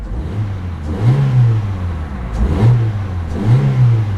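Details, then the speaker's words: 2008 Saturn Astra XE, 1.8 L twin-cam four-cylinder: three quick throttle blips, each rising crisply and falling back cleanly to a smooth idle; rev-happy, healthy free revving. "it is quite rev happy I mean it really doesn't take much"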